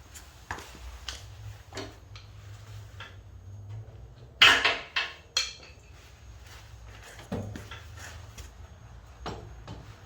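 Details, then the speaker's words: Toyota FJ Cruiser CV axle removed, worked by hand: scattered sharp metallic clicks, clacks and harder knocks, joint sticking at one point; worn CV joint, described as pretty bad. "Oh yeah, you can hear this one. Yeah. Yeah, this one's actually pretty bad."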